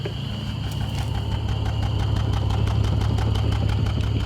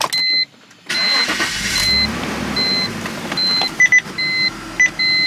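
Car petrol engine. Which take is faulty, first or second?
first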